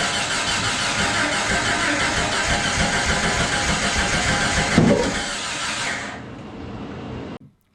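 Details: Jeep (Jurassic Jeep #73) first start-up after body-frame reassembly: starter spins engine about three beats a second for five seconds without firing.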